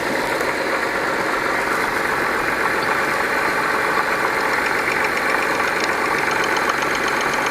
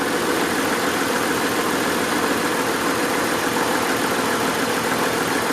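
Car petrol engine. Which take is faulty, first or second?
second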